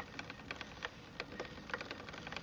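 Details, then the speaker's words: New 2018 RadMini electric folding fat bike pedalled in lowest gear: quiet, irregular sharp clicks a few per second; chain sits very close to the tyre, other gears fine, cause unknown, owner suspects the new chain needs loosening up. "noise. I'm not sure what it is. All the other gears work just fine. Again, it may be the chain needs to loosen up."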